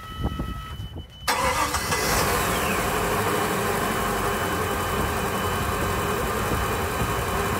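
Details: Volvo Penta boat engine, outdrive lowered into the lake, first start after a refurbished fuel pump was installed and primed: brief crank, quick catch, smooth even idle with no pump whine; healthy.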